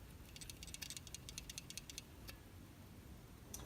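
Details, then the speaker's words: Failed Whirlpool refrigerator start relay, removed, from a fridge that stopped cooling: quick bursts of slight rattling from a loose part inside as it is shaken. This rattle indicates a bad relay. "So another way to tell that the relay is bad is when you shake it, you'll hear a slight rattling on the inside."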